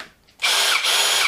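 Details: Worx drill tested before teardown and clean rebuild: short, clean burst of a steady high whir at even speed, no grinding or rattle; motor works normally.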